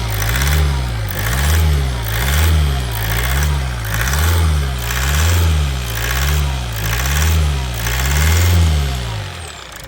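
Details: Toyota Avensis T270 2.0 D4D diesel (2011) after a seal repair on injector number 4 and fuel priming: it catches into a steady idle, blipped about every three seconds, smooth throughout with no knocks or misfire.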